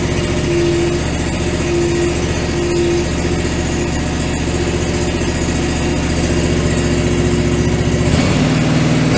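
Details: John Deere 445 twin, after fitting new OEM coils: strong, even idle with steady firing and no misses, both cylinders firing; normal running.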